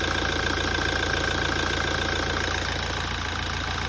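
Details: 2017 Toyota at idle after a major service. A fast, regular light knock at about three to four a second rides over a steady idle: abnormal engine noise, cause not yet found.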